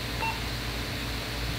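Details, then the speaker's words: Motorola CDM1550LS 220 MHz radio rebooting after programming new wideband squelch soft-pot values: single short beep over room hum, its normal start-up tone. "click yes and uh there we go we should be good the radio will reboot"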